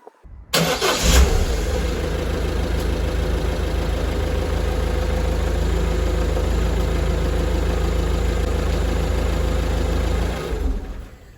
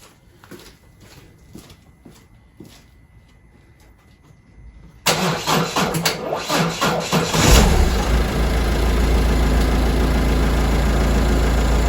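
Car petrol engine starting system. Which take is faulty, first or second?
second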